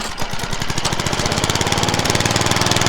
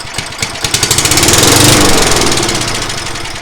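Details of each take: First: Craftsman mower, first start after deck swap: quick steady pops settling into an even beat once it catches; running normally. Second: Craftsman mower engine on brake cleaner spray, no gas in tank: catches with quick popping that speeds up briefly, then dies within seconds; engine judged basically good.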